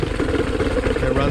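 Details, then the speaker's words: 1995–96 Johnson 15 hp two-stroke short-shaft outboard, after a leaking fuel pump and worn o-ring were fixed: uneven, lumpy putter at lowest idle that stumbles and dies. Rough idle; owner thinks it needs a carb clean. "yeah I think it just needs a carb clean really it's cuz the idle die out one a little rough at the lowest"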